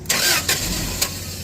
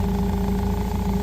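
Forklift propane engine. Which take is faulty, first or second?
first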